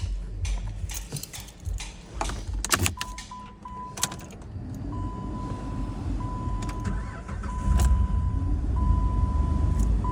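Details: Jeep Liberty with a no-start traced to a swapped negative battery terminal: keys rattle and a chime beeps, then the engine catches cleanly and settles into an even, steady idle with no stumbling.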